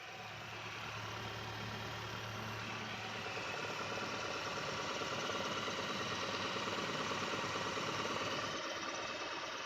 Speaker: jadi kita cek bagian mesin kita dengarkan dengan seksama Apakah mesin ini suaranya halus atau ada suara-suara yang aneh